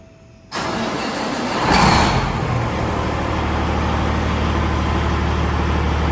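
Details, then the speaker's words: 389 truck, started in neutral after a newly installed wastegated turbo, through big stacks: engine catches at once, swells briefly, then settles into a deep steady diesel idle with no knocks or misses; healthy start. "It's actually got a deep tone to it. Perfect, big pipes."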